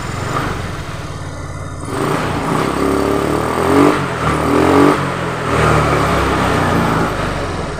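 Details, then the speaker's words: Honda Vario 125 FI that stalled and flashed MIL code 12 (not the injector); a speedometer cable shorting 12 V to the engine body was rerouted. After the repair it blips and drops back cleanly, with no cut-out or misfire, and code 12 is gone. "kode mil 12 sudah enggak timbul dan Fring sudah aman kayaknya digeber-geber enggak putus mudah-mudahan itu saja Bro"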